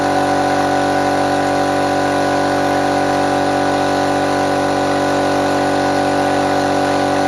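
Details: Restored small compressor fired up for the first time after refurbishment, checking whether it works: steady loud pumping drone with an even beat around 140 a minute and a clean tone; normal running.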